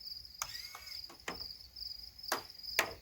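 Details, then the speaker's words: Pneumatic retracts on an RC plane: several sharp clicks at irregular intervals over a thin steady air hiss as the down-locks release and the gear retracts; normal locking operation. "when they're down they're in a locked position you'll hear it click when they release the lock and goes up"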